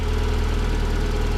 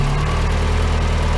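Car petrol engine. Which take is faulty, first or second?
second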